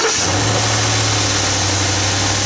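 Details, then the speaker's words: 2017 Ford F-150 5.0L Coyote V8, just started cold: steady even high idle with a smooth low hum and no ticking or rattle; owner's tick only appears around 1400–1500 rpm and up, idle is fine; healthy cold fast idle. "the engine is cold it'll high idle for a second we'll let that come down and then we'll show you what's going on"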